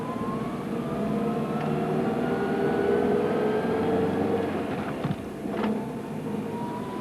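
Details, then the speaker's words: Vehicle noise demonstration: a thin whine near 1 kHz over running noise, rising and falling slightly with speed; transmission or gear noise can cause a similar sound. "as the frequency increases to 1 khz you will hear a sound like this a sound of similar frequency is heard for example along with the test pattern on a TV screen before and after the day's broadcasting transmission or gear noise sometimes causes a similar sound also"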